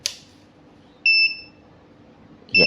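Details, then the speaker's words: Godox SK-series (SK300/SK400II) studio flash just switched on: two short shrill beeps about 1.5 s apart as the E3 error appears immediately; title warns careless flash-tube replacement can cause E3, actual fault unconfirmed. "nah itu dia ya. Ini permasalahannya E3-nya langsung nongol nih."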